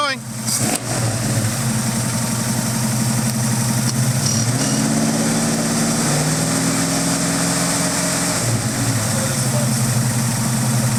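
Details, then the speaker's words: Ford Mustang V8, freshly unseized, smoking heavily from Marvel Mystery Oil in the exhaust: steady even lope with a couple of light throttle blips, no knocks or misses; runs healthy. "wow look at that it idles a little bit a lot of [Music] oh this thing sounds sick"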